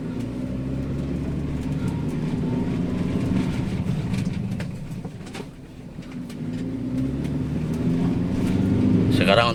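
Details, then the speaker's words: Daihatsu Sirion on rough road test drive after replacing the front rack end (Xenia 1000 part), which caused front clunking: steady tyre and road rumble with no knocks or clunks from the front; suspension now sounds tight. "suaranya enak ya enggak ada suara geletakgutuk di bagian depan"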